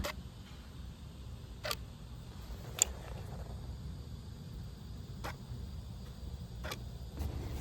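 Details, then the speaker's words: Buick Regal 2.4 with P0411 secondary air injection code: solenoid valves clicking normally when commanded on and off during test, over low steady hum. "Now, if you heard that, you could hear them clicking,"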